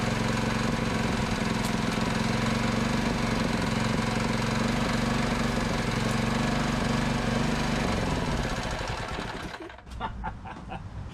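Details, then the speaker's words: Predator 224cc engine with ported Predator 212 Hemi head on a minibike: runs hard with a fast steady metallic clatter until shut off; loose throttle parts shaking from vibration, throttle cable not yet installed. "now it's shaking all the parts although it's shaking the other throttle stuff that's loose inside it is shaking it off"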